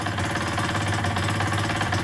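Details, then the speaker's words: KSR Moto with AM6 50cc two-stroke, freshly rebuilt with new cylinder, rings, crank and bearings, seconds after first start, cold: even, fast putter at choked idle, steady beat, no knock or rattle; it started very nicely. "zapalił bardzo ładnie naprawdę to pomoc paliwo parę obrotów na ssaniu zaczyna chodzi"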